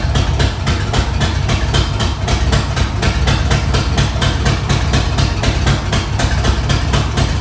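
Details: Ford 302 V8 after an engine swap, heard just after start: heavy idle with uneven, lumpy pulses and irregular thumps, not running well; owner suspects a wiring fault, cause unknown at this point. Rough running.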